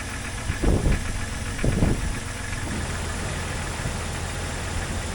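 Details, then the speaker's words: 2001 Jeep Cherokee XJ started after radiator and water pump work: a couple of heavy thumps, then a steady even idle rumble with no knocking and no leaks; cooling fan not yet kicking on (blown fuse); normal idle. "everything seems fine I don't see any leaks or drips or anything waiting for the fan to kick on"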